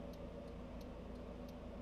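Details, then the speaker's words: 1999 Saab 9-5, home-made 3-wire to 2-wire trailer lighting converter using salvaged relays; left blinker on with brakes applied. Crisp clicks about three a second over a low vehicle hum; relays clicking normally. "if we go in here you can hear the relays clicking back and forth letting it go like that"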